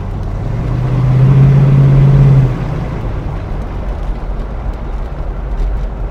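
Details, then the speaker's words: Mercury Cougar V8 with new 2¼-inch Mustang H-pipe exhaust, driving under light throttle, carb not yet dialed in: deep throaty rumble pulling smoothly then easing off, no leaks or rattles; normal exhaust. "It's got a nice throaty sound to it, so we'll see how long those springs last."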